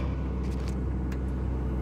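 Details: John Deere 2054D excavator after swing motor replacement for a leaking pinion shaft seal, engine warmed a minute: steady even low diesel rumble while swinging, no grinding, knocking or whine; swing drive healthy.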